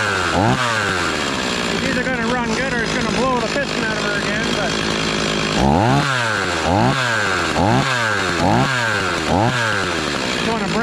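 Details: Stihl 026 chainsaw just after rebuild, first start, running thick fuel: clean idle, then crisp repeated blips about once a second rising and falling sharply; revs freely without bogging, running normally.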